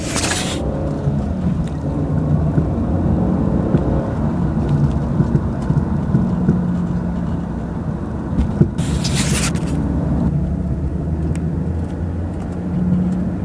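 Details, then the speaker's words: 2001 Jaguar X-Type 2.5 manual, 107,000 miles, road test after replacing rear top and lower control arms, anti-roll bar bushes and drop links: even road rumble over a lumpy lane, no knocks; rear suspension now quiet, only very slight noise. "well that was very satisfactory there's only a very slight noise coming out the back now"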